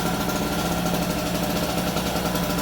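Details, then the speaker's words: Harbor Freight 800 W two-stroke portable generator just switched from choke to run position, smoking slightly, warming up with no load; fast even buzzing beat without misses or knocks, normal idle. "That's pretty typical for a 2-stroke engine. So let it run for about a minute, kind of warm itself up or two, and then we'll plug in the extension cord."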